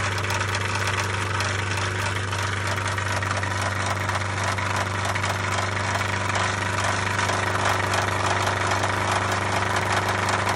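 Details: 1999 MerCruiser 3.0 marine engine at steady idle with a loose, somewhat irregular tapping knock about twice per second; owner seeks help identifying the knock, cause unknown.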